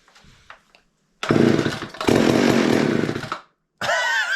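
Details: Garage-sale chainsaw with two-stroke mix syringed into the carburetor: two short bursts of two-stroke firing that die away each time; engine fires on primed fuel, showing spark and good compression.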